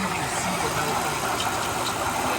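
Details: 2005 Mercedes-Benz CL600 V12 twin-turbo after replacing the faulty voltage transformer that caused misfires: smooth, even idle with all twelve cylinders firing, no check engine light; noisy water pump noted, boost sensor still disconnected.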